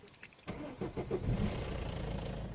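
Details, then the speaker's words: Citroën C5 1.6 HDi 110 diesel at cold start: starter cranks, then a few quick clattery knocks as it catches before settling to idle; owner says a separate idle clicking seems to come from the injectors; cause not confirmed; rattle at cold start. "c'est je ne sais pas si vous l'avez entendu c'est le premier petit cliquetis et quand on entend que l'on entend démarrage"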